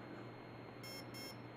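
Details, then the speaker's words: Align helicopter ESC in programming mode, motor out of the helicopter: two short high beeps through the motor marking the second option, motor timing, set to mid timing with mid stick. "it's in the second mode timing I want mid timing so I'm gonna go mid stick"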